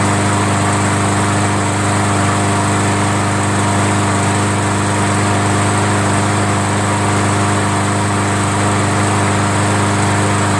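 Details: Roadside-found MTD 500E 21-inch push mower with Briggs engine, started on prime; owner suspected a dirty carburetor, later judged it clean. Steady, even single-cylinder drone with no misses, surging or knocks. Normal running.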